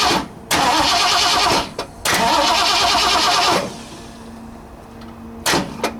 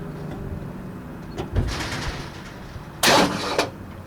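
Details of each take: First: 1960 Ford F100, 351 Windsor, fed brake parts cleaner: two long bursts of steady starter whirring and a brief third crank, never firing, because the coil wire was not in the distributor; cranks but no spark. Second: 1960 Ford F100 with transplanted 351 Windsor V8, not run in decades, starter jumped directly: starter churns engine over steadily then sharp bursts; engine turns freely, not seized, solenoid appears good.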